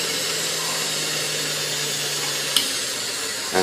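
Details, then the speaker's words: Restored vintage Hamilton Beach Model C mixer (early 1930s), running after cleaning: bright, steady motor whir holding even pitch with no rubbing or knocking; runs very well for its age. The low speed is slow to wind up. "shut her off so Singh runs incredibly well I cannot believe how good this thing runs considered the age of this machine"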